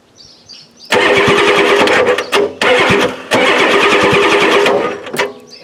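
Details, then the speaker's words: 1993 Ford F-250 7.3L IDI diesel, new battery cables, fuel lines not yet fixed: fast, even cranking in long bursts with short pauses, never catches. Owner suspects injection pump out of time after new injectors; not confirmed. "that's definitely a lot better Stern which is definitely cranking fast but still don't feel there yet what that cranks over fast starter a break"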